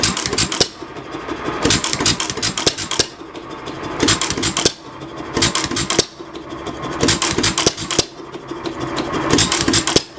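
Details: 1922 Hercules-built 2.5 hp Economy hit-and-miss engine, air damper closed, about 300–450 rpm range: bursts of sharp firing beats about every 1.5 s, then coasting with clicks between; healthy hit-and-miss running.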